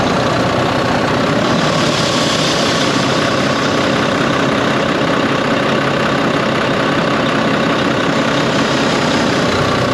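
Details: Volvo VNL truck with D13 diesel, first start after an accident: steady idle with a loud airy whoosh, black soot at a clamp; exhaust leak at the clamp.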